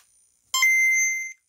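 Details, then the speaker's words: Game Boy Pocket with IPS LCD and CleanAmp amplifier/speaker: loud steady tone at full volume cuts out dead as the console browns out and resets; owner suspects capacitors or weak batteries. "you heard it just browned out and reset at full volume the speaker enough was enough to brown out the game boy or could be my batteries are kind of dead"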